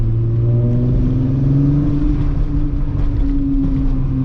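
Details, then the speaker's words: VW MK3 VR6 on a Sunday cruise around the block after new spark plugs were fitted to cure a misfire: smooth rising note pulling cleanly through the revs without stumbles or popping; no more misfiring; normal acceleration. "just a nice little cruise on the block listen to that oh my goodness the vr6 just sounds so good"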